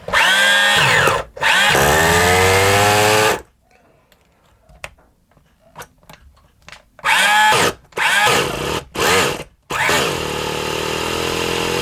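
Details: Kyosho Mini Inferno small nitro engine with a single-needle carb, glow heater on, fires in short buzzing bursts with dropouts and a sagging pitch. It runs rough and sounds a bit rich to the owner.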